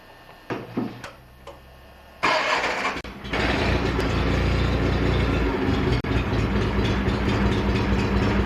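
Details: Restored John Deere 316 tractor: quiet clicks, then it fires and settles into a steady, even run with a smooth low throb; normal running.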